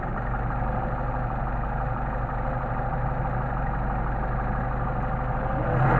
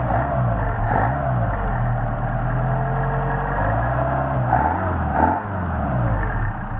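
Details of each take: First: Solex 44PHH carburetors on a 190SL, idling low at about 800-900 rpm with no load. Turning the idle mixture screw in gives an uneven, stumbling rolling misfire: already too lean. The fix is to back the screw out about 1/8 turn. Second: Mercedes 190SL engine on re-tested Solex 44PHH carburetors, no load: catches and holds a steady, even low idle around 800–900 rpm, deliberately set low, with light throttle swells and no misses. Normal idle.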